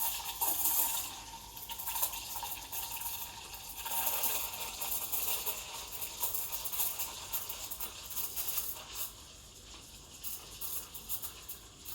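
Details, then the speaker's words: Breville Dual Boiler BES920 steam wand angled near the jug edge, tip near surface: steady bright hiss with light ripple of spinning milk, stopped at about 60 °C; normal milk steaming and aeration. "You want to listen as well, you want to hear that hissing sound."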